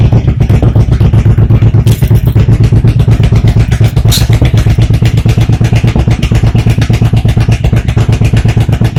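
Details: 1985 Honda VT1100 Shadow, cold, after swapping to V45 Magna CDI units (waste spark) and fixing miswired tach signal that disrupted rear coil firing: crisp, regular V-twin thump, no misses or stumbles; normal idle.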